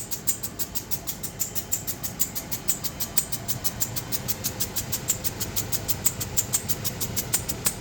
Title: Landrover Discovery 2003 making a clicking noise what could be the problem. How do I fix it